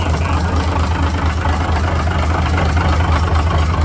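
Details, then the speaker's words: Cummins NHC250 diesel in a 1980s M818 5-ton truck on first test run after adjustments: steady low rumble with faint uneven knock about twice a second; engine shut off as the radiator fan was found banging; loose radiator fan. "I had to shut it off because I think my radiator fan was kind of banging a little bit which it was you little bugger"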